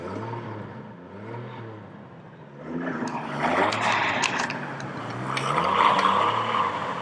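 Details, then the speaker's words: Chevrolet Trailblazer with a new clutch fan and fresh oil, revved by hand without a working tachometer: the engine blips up and down smoothly several times with no deep knock. Normal, healthy revving. "so there you go I'm really surprised how good it sounds now so I think it's going to be a pretty good vehicle for the winter months"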